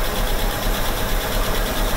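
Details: AMC Hornet, warmed up after a starting-fluid start, running off the carburetor bowls: steady even low V8 rumble, no knocks or misses; smooth healthy idle.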